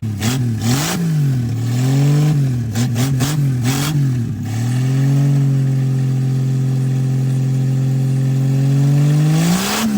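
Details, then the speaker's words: 1963 Plymouth Valiant slant six project car on medium choke, no longer smoking black: blipped repeatedly to stay alive, it surges unevenly, then holds a steady fast speed. It won't idle on its own and acts like a giant vacuum leak; cause unknown. "Also, why why are there no idles? This is weird cuz it runs, but it's acting like a giant vacuum leak."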